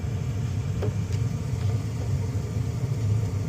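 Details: Furnace blower with a faulty capacitor that wouldn't run and had overheated to a high-limit trip; after service, steady low hum and rumble with no grinding, squeal or rattle as the blower spins up and runs smoothly.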